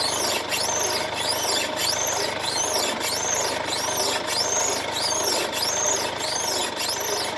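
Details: 2016 Mercedes-Benz C220d W205, known underbody noise on rough roads, body rocked in place: sharp, high chirping squeak about every 1.25 seconds; worn lower control arm bushing creak, fixed by control arm replacement.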